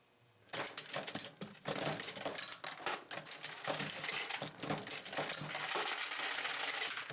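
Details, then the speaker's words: Dillon XL750 progressive press reloading 9mm Luger with case feeder, no bullet feeder, at a good pace: rhythmic clanking about four strokes a second with bright tinkling of falling brass; normal cycling. "I am using a case feeder, and you're going to hear that feed cases as we go along here."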